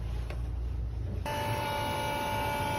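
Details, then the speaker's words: Cummins ISX, with a new fuel pump head just installed to fix code 559, low fuel rail pressure (SPN157 FMI18). In a quiet cab, a steady electric whine switches on at a fixed mid pitch and holds evenly: the new fuel pump priming normally before start-up. "y'all hear it guys new fuel pump installed priming"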